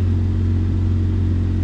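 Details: 2004 Jeep Grand Cherokee 4.0 six-cylinder after replacing a blown PCM battery fuse that caused crank-no-start; smooth, steady low hum with unchanging beat, no misses or knocks; normal idle.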